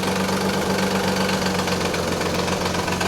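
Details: 1991 Nissan 300ZX at idle, noise fades after about a minute of driving: a fast, uneven rattle, about four slaps a second; collapsed timing belt tensioner letting the belt slap, idler pulleys also noisy.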